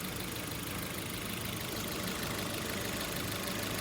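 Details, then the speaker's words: Hyundai HB20 petrol engine idling: rapid slapping belt chatter that develops as it warms up, from a worn accessory belt tensioner losing internal spring pressure; fix is replacing belt and tensioner. "Nesse caso, vai ter que trocar a correia e trocar aquele esticador lá, o tensionador. Um tempo ele vai perdendo a pressão, ele vai ficando muito móvel, ó, ele não consegue esticar a correia completamente."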